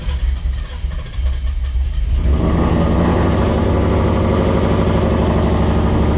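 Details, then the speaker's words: Car with built engine, start right after flashing a new tune revision, before first drive: starter cranks, catches after two seconds, then deep, choppy lope of about three pulses a second; lopey idle described as loping good. "Loping good with this revision."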